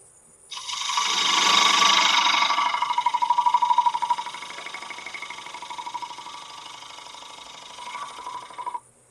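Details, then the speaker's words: Birch bowl outside finish turning on a Laguna 1524 lathe, loud dust collector running: rhythmic tick about three per second rides the cutting hiss and fades as the cut smooths; the gouge is catching a knot. "I knew I was hitting something. I could hear that knot."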